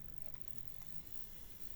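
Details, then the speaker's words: Jouef EMU 5154 model train, replacement motor with worm gear fitted using shrink-tube bushing, running on the bench: faint, steady low hum with no grinding, ticking or rattle; smooth and quiet. "I'll just show you there it's running no distortion"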